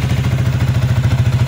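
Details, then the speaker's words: Sniper 155 VVA single-cylinder after cylinder head rebuild and timing chain replacement, at idle: smooth, even low thump with a steady rhythm and no ticking or rattle on top; the earlier ticking is gone. "So goods na. Hindi na siya maingay mga Diaz. Wala na yung lagitik. Yan. So good siya. Hindi na siya maingay."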